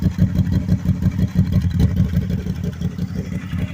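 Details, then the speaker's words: 2010 Can-Am Spyder RS 990 three-wheeler, Rotax twin: quick throbbing pulses about three a second with short revs over a deep, rowdy exhaust note, running strong; normal idle and revs. "Sounds kind of good. When you get on it, it sounds good too,"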